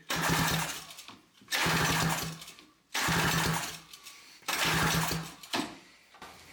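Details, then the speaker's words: 1982 Honda Odyssey FL250 that misfires once then won't fire, cranked after swapping the ignition coil and trying another spark plug: short cranking bursts about every 1.5 seconds, turning over but never catching. Cause still unknown. "Try this plug. It sounds better, a little bit. Sounds like it's kind of firing. Yeah, I don't know."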